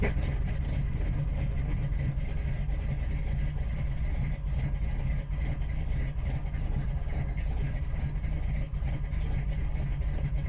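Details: V8 with big cam, just fitted with Killshot Fusion fuel injection, first start: deep, choppy loping idle, steady with no knocks or misses; normal for the cam.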